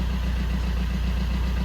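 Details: Fiat 500 diesel with replacement engine of unknown history, after replacing the too-far-gone DPF; low, even diesel idle with smooth steady beat, no stumbling or hunting; running healthy, normal idle.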